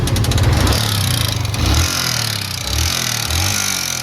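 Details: Yamaha MT-15 never serviced at a dealer, noise appearing suddenly after the owner topped up engine oil himself: single-cylinder revs up and down with fast metallic ticking tracking engine speed; broken decompressor and worn timing chain.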